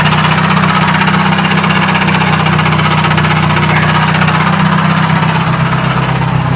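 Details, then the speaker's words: Manual gearbox that lost third gear (teeth apparently sheared after grinding while cruising): heavy, irregular clanking about four times a second over a steady idle hum; owner suspected throwout bearing or input shaft, then a taper bearing, unconfirmed. "It might actually be the throwout bearing. This could also be the input shaft though. Not entirely sure why the battery light's coming on. Yeah, I'm not entirely sure where that sound's coming from."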